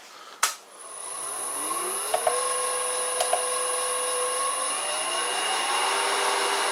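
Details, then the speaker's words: Vintage Karger lathe on Chinese AT1-0750X VFD after setting P11=2 external switch and max frequency 80 Hz: clean whine climbs steadily in pitch then holds even tone; motor runs smoothly to higher speed. "after setting parameter 11 to external port which is 2 it now actually works as you can hear."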